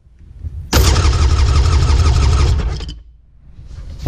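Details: 2002 Sea-Doo GTX DI, compression test on mag and PTO sides: starter cranks about two seconds at roughly four even beats a second, no uneven gaps; compression same on both cylinders.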